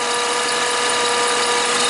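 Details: Toyota Highlander (2003 or 2007) idling with charging problem, battery toast and charging current falling fast: steady high whine with a thin buzzing edge over the idle, unchanging; points to a failing alternator not charging.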